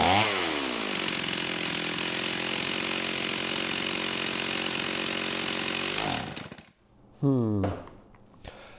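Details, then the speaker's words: STIHL 028 AV Super chainsaw, rebuilt with non-OEM parts after straight-gas burnout, low-speed jet near 1¼ turns out: starts, sags, runs uneven and high-pitched, dies, briefly catches; acts like a carb issue, crank seals don't seem leaking. "it's almost acting like a carb issue you know it doesn't actually seem like we have any crank seals leaking"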